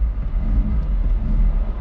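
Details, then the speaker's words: Rusty Saturn-yellow VW Golf Mk3 in neglected condition: deep, uneven rumble that surges and sags, never settling to a steady beat, while dumping smoke; the engine runs rough and struggles to stay alive. "Oh, she's rough and is dumping smoke. Good Lord. Yeah, this thing is not happy."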